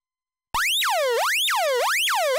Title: LDM #219: Teardown and test of a Stall Warning Tone Generator from an Avro Shackleton